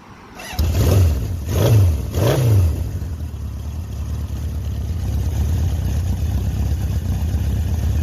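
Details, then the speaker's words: One-owner 1976 Honda CB750K (K6) SOHC four, 2,365 original miles: fires at once cold, three throttle blips, then settles into a steady fast idle on choke; clean, healthy cold start. "got to be one of the best cold starts on an old CV750 I've seen in a long time."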